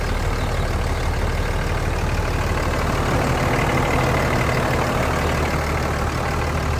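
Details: 2003 Dodge Ram 3500 Laramie crew cab dually diesel 4x4, original miles, at idle: even diesel clatter with a steady low rumble and no misses or knocks. A healthy normal idle.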